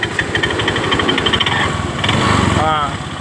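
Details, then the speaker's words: Honda Vario 125 scooter at idle: uneven rattling roughness from the CVT with no steady beat; opened up, drive belt found very slack; roller housing, worn rollers or clutch lining also suspected. "Dan ini udah kebuka, Teman-teman. Fanbelnya kok sangat kendor banget."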